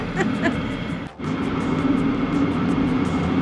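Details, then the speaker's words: Free Vevor diesel heater after repair, running after start-up: steady fan roar with faint, even ticking about four times a second from the fuel pump; burning smoothly and running fine. "so it's running it feels good um I guess the true test will be when we use it"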